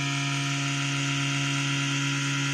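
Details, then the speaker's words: Desktop PC just after power-on: steady low hum with a constant whirring hiss that weakens after a few minutes; sounds like a worn, noisy case fan, cause suspected, not confirmed. "tem como essa maldita zoada esse maldito barulho Porque assim galera ele tá ligando né quer dizer ligou tá com esse barulho mas percebam que alguns minutos ele vai parar"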